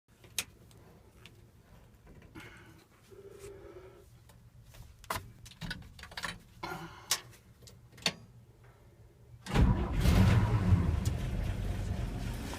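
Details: 235 engine after carb rebuild, new ignition coil, plugs and wires, valve cover off: catches after clicks and clatter, then uneven lumpy loping idle; rough idle, owner suspects leaky head gasket, none seen.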